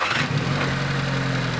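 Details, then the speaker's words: Volkswagen GTI direct-injection engine at cold start, before an oil cleaner additive: busy metallic rattle over a steady low drone from a noisy top end; carbon buildup causing poor lubrication suspected, not confirmed. "you can easily hear the noise it's making the gdi engines have a tendency of carboning up and you get a lot of engine noise as the carbon builds up things aren't lubricated right you hear rattling"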